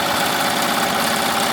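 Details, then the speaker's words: Melco embroidery machine stitching with the owner's original modified hoop arms rather than the new Melco-supplied arms: fast, even chatter and steady hiss, much quieter, with no banging knocks. Normal running. "But you see it's much quieter. It's not as loud. But it's not making that that that banging."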